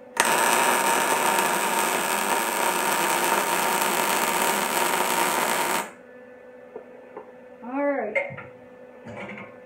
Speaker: alright so you hear that it is like a super fast crying frying bacon song